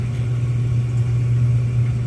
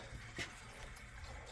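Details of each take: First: Smith oil boiler with indirect water heater, back running after a no-heat call reset by switch; high vent dry and dripping part replaced, low-water cutoff badly placed: even, low steady hum, no knocks or pulsing; water heater and two zones heating normally. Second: Boiler heating system on a call for heat with zone valves calling and circulating: faint gurgling trickle in the pipes from trapped air being pushed around the loop while it vents.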